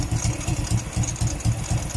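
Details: Euro Sport R125 motorcycle: low, throaty putt-putt idle about four even pulses a second, louder than usual; exhaust gasket/O-ring suspected; noisy idle.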